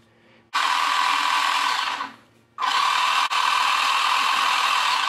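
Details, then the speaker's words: RC car drive motor after adjusting the speed controller's throttle trim. Two even bursts of high, steady whirring with no surging or clicking, and the wheels now rotate at the same speed in both directions. This is normal. "now the wheels have been adjusted and they rotate at the same speed in both directions"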